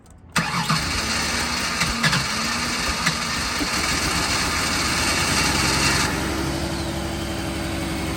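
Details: Ford Taurus unused for about three years, old fuel, smoke possibly from fogging oil: after a few cranks it catches and runs unevenly, stumbling.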